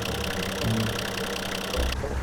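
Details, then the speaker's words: Nissan Patrol coil-cab diesel idling on its first drive after engine-bay reassembly: light, quick clacking in time with the driveshaft, then it stops. A zip tie was deliberately fastened to the driveshaft as a prank and is slapping it. "So he thinks he's making cars making weird noises, and really it's just a clack at the zip tie."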